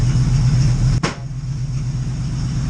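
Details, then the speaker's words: Oldsmobile Cutlass V8 just after rebuilding its Edelbrock carburetor, not yet tuned, good oil pressure, barely warm: low lumpy idle with uneven beat and a brief pop; running rough. "got it running hold on carbs on and she's running so [Music] it's not running that great but i mean it's running so"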